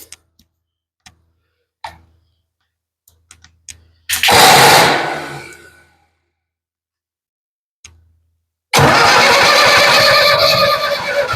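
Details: Ford 7000 diesel tractor after timing correction (timing was the no-start cause): short crank that dies, then a firm catch into a steady, continuous diesel run with no misses; runs really good, normal start and run.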